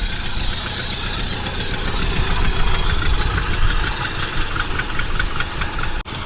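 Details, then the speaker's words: 1976 Mercury carbureted engine after setting the ignition timing (around 5°): an uneven, lumpy idle with a loose chuffing beat. The suspected cause is a leaking carburetor base gasket, shown as an exhaust-like leak; the ignition itself is fine. "this engine runs like and it sounds like it is an exhaust leak on it and it feels like it's coming from there"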